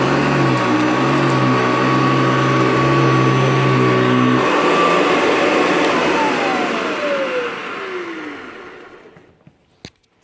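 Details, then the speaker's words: Hoover Decade 80 vintage upright vacuum on power surge setting: steady motor roar at a high even pitch while cleaning a dirt pile, bogging less than on regular, then winds down smoothly after switch-off; normal running. "So now we're going to do 1 pass forward, 1 pass back on the other pile of dirt using the power surge feature. You'll be able to hear it because the pitch of the machine goes up."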